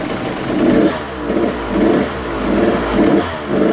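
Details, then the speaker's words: Husqvarna TC85 two-stroke, rebuilt crank and piston, warm after one heat cycle: blipped up about once a second, revving freely and crisply without hesitation or bog. It revs out healthy, though smoking from assembly oil. "Let's start it back up, warm it up a little bit, and I want to rev it out and just make sure the power valve's opening up and she's revving out just fine and everything."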